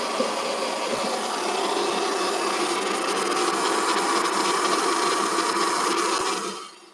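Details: Classic Kirby vacuum saved from trash, after new wheels and foot switch repair: motor spins up to a steady, even whir with no grinding or knocking, winds down cleanly when switched off; healthy.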